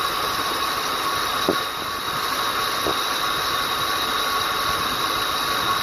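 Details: 2007 Ford Explorer XLT, 4.6L 3-valve V8, about 110k miles, engine running, heard from the passenger side: a thin, steady high-pitched whine, abnormal for this car, that rose with rpm. The lower grooved idler pulley was wobbling and its bearing was worn.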